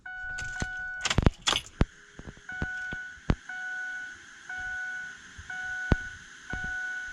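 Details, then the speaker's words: 2006 Ford F250 6.0 Powerstroke diesel after changing both fuel filters: key cycled repeatedly, steady high electric hum repeatedly starting and stopping; electric fuel pump priming normally. "we're going to rotate the key multiple times you're going to hear the fuel pump charge and prime the system"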